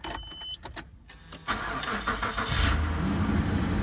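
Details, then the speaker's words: 1999 Infiniti QX4 V6, 187,000 miles, first start after replacing timing belt and water pump, battery reconnected, cooling system being burped: a few clicks, quick crank and catch, then an even, steady idle; clean, healthy start. "Hey, sounds good so far."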